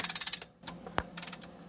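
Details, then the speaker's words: Long-sat, seized Honda Benley "Baby Dream" motorcycle with good compression, spark-tested with the points ignition. Sharp, snappy clicks with one crisp loud crack: a strong, hot ignition spark. "Ooh, that sounded hot. Hot and spicy, baby. Just the way I like it. Okay. Okay, so we've got good spark."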